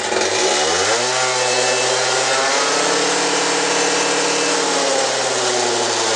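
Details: Peugeot Speedfight 50cc two-stroke moped after exhaust, carb and roller work, with head bolts tightened a half turn to stop gas escaping at the head. Revs climb quickly, then hold a steady, even buzz with no misfires or surging; smooth running.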